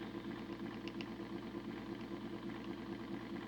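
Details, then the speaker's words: Homemade DCC decoder tester model-train motor at about 25% throttle, drawing almost half an amp (about 14 V at full): low uneven whirring hum wavering about three times a second, doesn't sound good; owner suspects motor is cooked and frying decoders. "well Jesus dropped man that motor sounds terrible oh she's arcing inside so I'm guessing that the motors cooked and that's probably why it's frying the decoders"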